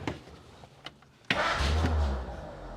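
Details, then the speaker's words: 1947 Monarch after conversion from 6-volt positive ground to 12-volt negative ground, sat a week and possibly cold-blooded: a few slow cranking clicks, then it catches abruptly and settles into a low steady rumble; clean start. "Hopefully this thing starts. It's been sitting for a week. Might be a little cold-blooded."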